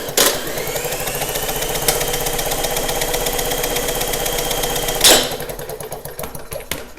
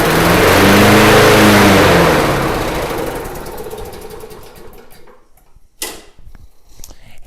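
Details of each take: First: Snapper mower: about five seconds of even cranking whir with no firing, then stops; no-start with no spark, later traced to the kill wire. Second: Snapper mower with a leaking fuel tank, carburetor still to be inspected: catches after a slow crank, runs a couple of seconds with a steady putter, then winds down; sounds okay, normal running.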